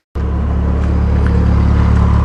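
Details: Nissan 240SX engine started after removing a broken chunk of catalytic converter that had clogged the exhaust and caused a weird air sound; catches at once, deep even rumble, no rattle, runs smoother and peppier.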